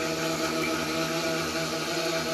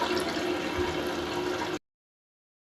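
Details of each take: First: Toilet before fill valve replacement, refilling after a flush: steady hollow hum with held foghorn-like tones over constant water hiss; a worn fill valve is making the noise. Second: Toilet after fill valve replacement, water turned back on: smooth hiss of the tank filling with a quiet gap and no squeal or hammering; the new fill valve refills quietly, water level still to be raised.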